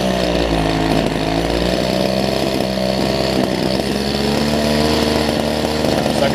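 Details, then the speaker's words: Older Homelite two-stroke hedge trimmer with new fuel lines and primer bulb, after trial carb screw adjustment: high-rev buzz with wavering pitch that never settles; runs, but mixture needs more tuning. "I'll tell you what don't know it runs I'm gonna do a little bit more tuning on this thing"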